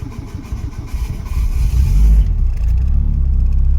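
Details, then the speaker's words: Citroën Saxo project car, first start on a new battery: engine catches after a couple of seconds of cranking, then an uneven, rattly low rumble; sounds like a rickety mess, cause unclear. "Old girl started in the end. Sounds like a rickety mess in here."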